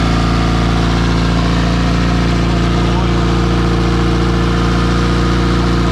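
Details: Porsche 944 project turbo four on E85, first start after almost two years: steady even low rumble, smooth firing, no misses or knocks; normal idle despite fuel and oil leaks found.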